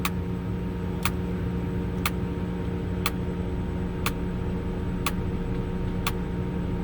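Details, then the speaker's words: Potain 219 tower crane cabling up slowly in first gear: sharp even clicks about once a second over steady motor hum, normal hoist drum indicator clicking. "So cabling up again in first gear, doing it very slow. You'll hear the clicks."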